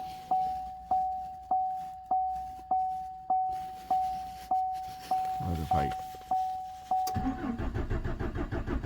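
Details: 2014 Chevrolet Silverado 4.3, towed in, fuel pump recently replaced after external leak: key chime then even cranking that never fires; no fuel pressure, tank actually empty though gauge read about 1/4, runs after adding gas, fuel level sender defective or inaccurate.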